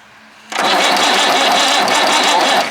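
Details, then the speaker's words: Perkins 6/354 diesel in a White Super Power truck, not run for many years, first crank by jumping wires: steady fast starter churn with no firing; cranks but won't start, wiring getting hot. "I mean it's cranking it but it was making uh dust and stuff small"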